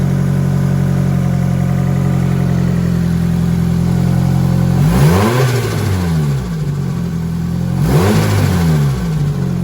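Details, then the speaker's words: Nissan SR20 with new turbo, after tightening a leaking joint: steady idle with two sharp rev blips, note swoops up and falls with fluttering chatter on throttle close – turbo compressor surge. "Oh, now there's compressor surge. You hear it?"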